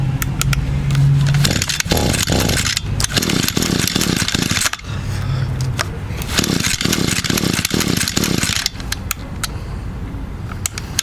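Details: Echo GT200 trimmer unused for 2–3 years, new carburetor fitted, cold start with prime and choke on: repeated rasping pull-starts in uneven bursts, never fires; cranks but won't start.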